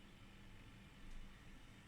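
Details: Ebac 660 dehumidifier after replacement with a brand-new fan motor, humidistat on max, fan speed 1: a quiet, even whoosh of air with a low steady hum and no rubbing or ticking. The fan runs smoothly.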